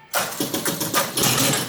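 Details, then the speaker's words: Gold Strike pinball machine, after nudging the stuck coin-switch motor by hand. A sharp clack, then ongoing relay clatter and motor whir as the game kicks over and starts normally. "if the game kicks over and starts up that's a good sign it should work from there on out"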